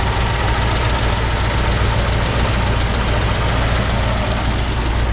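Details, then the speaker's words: 1953 Ford F-100 barn-find flathead V8, idling cold with choke pulled, slightly over-choked and idling a bit high; deep, even burble with steady firing and no knocks or ticks, healthy normal idle. "Nice healthy sounding flathead V8. And it was a little cold. I pulled the choke."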